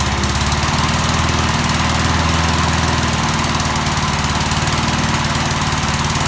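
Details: 1988 MTD self-propelled mower, head just refitted, running on premixed two-stroke gas after water in the fuel; steady even pop at constant speed, no misses or knocks; runs not too bad, normal running.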